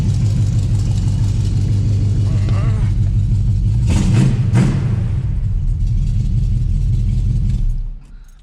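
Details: Chevelle small-block V8 idling after transmission leak repair, burning leaked fluid off the headers: steady, deep, even rumble with no knocks or ticks; healthy, transmission still dry.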